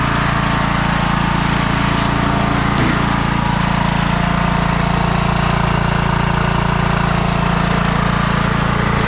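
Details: 2004 MTD Yard Machines Gold lawn tractor after a carb cleaning and oil change: a small single chugging at a steady fast idle with an even beat and no stumbles or surging; healthy.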